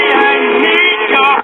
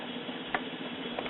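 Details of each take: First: Symphonic 78 rpm record player with working amp and new 89T cartridge: record playback harsh, buzzy, distorted on every note through the 4-inch speaker; messed-up cone with voice coil drag. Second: Symphonic 78 rpm record player, drive mechanism not yet cleaned or lubricated, running after amplifier repair: even steady low hum with faint light ticks, no rumble or scraping; normal turntable drive.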